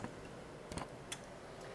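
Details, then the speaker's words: Siglent SDM3055A 5.5-digit multimeter measuring current through its shunt: sharp, dry relay clicks about every half second in a quiet room, the input relays continuously switching in this mode, which opens the circuit briefly and ages the relays. "the relays are continuously clicking back and forth and that's going to age the relays and it's going to give you a long-term problem."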